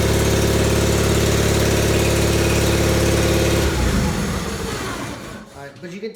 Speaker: at times it does engage it makes a very loud almost like a roar uh so i want you all to take a listen to this